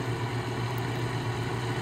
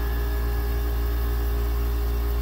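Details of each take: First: Goldstar WG5004 5,050 BTU window air conditioner fan on low: steady low hum with an even whir; spin-down fine; fan possibly out of balance, unconfirmed; clicking reported toward the end. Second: Goldstar 5,050 BTU window air conditioner, model WG5004: steady, even low hum with a few constant tones and no knocking or rattling as the compressor runs normally, blowing cold air.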